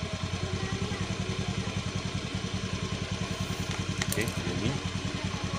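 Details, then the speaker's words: Fuel-injected motorcycle after idle screw adjustment with battery at 12.4–12.5 V: steady, even idle pulses about three to four a second with no stumbling or hunting; it was rough and limping before, now stable. "sudah stabil untuk kondisi dari sebelumnya ini untuk posisi stasioner seperti ini"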